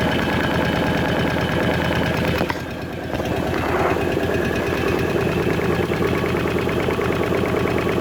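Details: Kawasaki KVF 750 Brute Force ATV engine at idle: light, quick ticking about three per second over steady idle, coming from the top end of the engine; cause undetermined.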